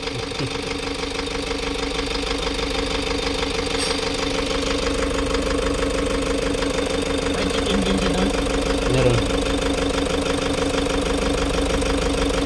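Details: Toyota Hiace 3.0 diesel with strong engine vibration and check-engine light; scan shows fuel injector circuit open, and injector number two gives no reaction. An uneven, lumpy idle beat about three per second; rough idle from two dead injectors.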